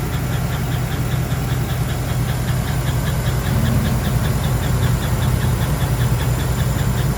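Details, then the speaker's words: 2011 Chevy Silverado quad cab V8 at idle, noise persisted with belt removed: steady idle with a sharp knock, two to three a second; source not found, one pitted number-eight lifter found after teardown, AFM lifters fine. "the problem I'm having is that I still don't know where that noise came from"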